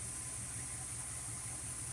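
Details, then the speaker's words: Old carbureted engine with a Tomco carb, after base timing was set: smooth, even idle at about 650–660 rpm with no knocks or misses. Normal, acceptable idle before mixture screw adjustment. "now my idle speed is about 650. you're gonna get some variants obviously"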